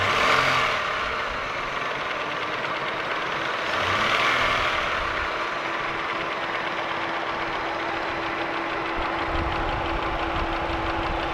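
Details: Holden Commodore VY V6, Series II Buick 3800 / Ecotec 3.8: even light tick three to four a second over a smooth idle; owner unsure if lifter or valvetrain noise or bottom end (connecting rod, bearing).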